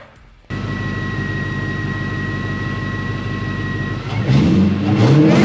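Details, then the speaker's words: Jaguar 4.2 supercharged engine running just after a supercharger pulley upgrade kit install, with the old intake temporarily refitted: steady run with a clear high supercharger whine rising with revs, a normal whine that is noticeably louder after the upgrade. "It sounds absolutely great. And man, you can really hear the supercharger whine. It made a big difference."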